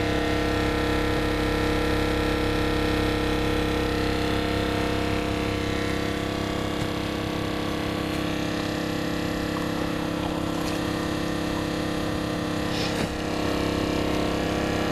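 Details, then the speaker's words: Northern Tool water pump on a homemade Harbor Freight trailer watering cart with Tractor Supply tanks, hose open: constant motor drone with a steady hum over a low rumble, no knocking or surging; pump running normally. "make sure all my hoses around so there you can hear the pump running"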